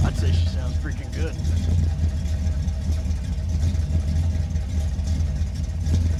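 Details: 1979 Corvette crate-motor V8, warmed up, microphone on camera: deep, even rumble with a steady beat and no knocks or ticks; engine running healthy.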